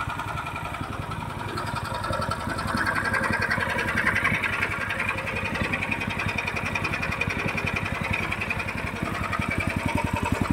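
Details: Horizontal dough mixer driven by a 9 HP General Powell CX 270 petrol engine, test run on half a litre of fuel: steady, even firing beat about 2.5 per second with a heavy low tone; described as smooth yet heavy because the engine is large. Normal running.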